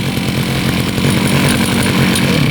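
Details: Used Husqvarna 541RS brushcutter (made in China, 2019), run only one tank of fuel; strong, steady high-rev buzz with no misses, surging or rattles; two-stroke pulls cleanly and runs smooth under throttle.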